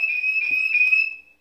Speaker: okay alarm off warning there was a recent alarm triggered by an entry sensor